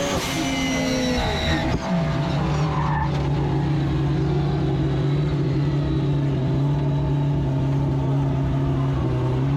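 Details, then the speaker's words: AWD four-rotor rotary drag car launching: tyres scrabble, then revs sag to a flat, droning lower note as boost builds; launch rpm meant to hold 6,000 drops to about 4,000 and bogs. "It's supposed to launch at 6,000 RPM. And then as soon as it starts building boost, it drops to 4,000,"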